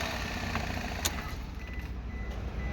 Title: SUZUKI K6A ENGINE KNOCKING #automobile #suzuki #surplusfunds #k6a